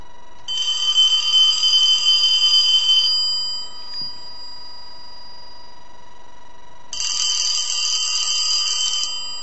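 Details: Antique Elephant brass telephone after repair and redesign, bell mounted on rubber standoffs: two clean, bright ringing bursts of about two and a half seconds with a quiet gap; even tone, no buzz, bell healthy.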